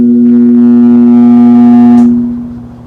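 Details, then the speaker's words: 1969–1970 Sears Kenmore (Vernco) box fan, 3.7 A 1/12 HP motor, possibly Westinghouse: steady low mains hum with clear overtones that fades away slowly instead of cutting off at power-off; cause unknown. "did you hear the sound Fade Away there in the end if anybody knows what that is drop a comment down below and let me know because I have never heard an electrical resonance fade out like that"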